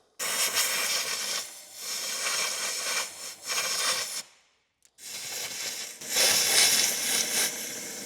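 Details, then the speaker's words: 1954 International R110 pickup, parked since 1968 and not running, with air blown into a cylinder: uneven sharp hissing bursts with a short silent gap as the air leaks past an open intake valve; the exhaust is plugged by mice. "See what's coming out back there. I'm guessing the intake is open or the exhaust. Probably the intake. And it's going through the intake blowing out that cylinder cuz the intake valve is open on that one."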